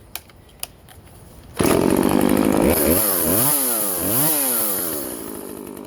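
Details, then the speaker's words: Vintage Husqvarna 136 chainsaw, California emissions model, after clearing a plugged muffler and carb work, cutting wood: crisp start, then a strong, clean two-stroke scream that dips and recovers smoothly under load. Normal running under load. "wow so yeah that's way better i think it was just a plugged muffler can you believe that"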